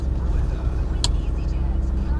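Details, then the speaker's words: Jaguar XJ diesel after fuel filter change, took a couple of seconds to start: deep steady tick-over with even beat, no misses or knocks, no warning lights; idling smoothly. "but it took a couple of seconds to start job done ticking over lovely"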